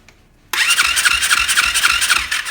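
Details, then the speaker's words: 2020 Orion RXB 150 pit bike, starter now working after a starter clutch replacement; the electric start cranks with even compression pulses but it won't start. Owner suspects a badly tampered carburetor; barely starts even on the kickstart. "Of course, it doesn't start with just the electric start. I think there's a lot, it barely wants to start kicking it. I think there's lots going on with this carburetor."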